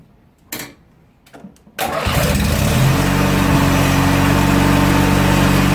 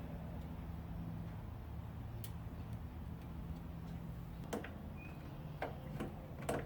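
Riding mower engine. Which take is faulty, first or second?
second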